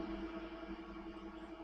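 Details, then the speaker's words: Gaming PC on stock AMD Wraith cooler under stress test, CPU at 94 degrees, mic right next to PC: steady loud whirring rush with fixed hum, fans flat out; later replaced with Corsair H100i water cooler. "the noise throw it the fans are only flat-out 94 degrees and see as you'll see and as you can hear the fans are really loud"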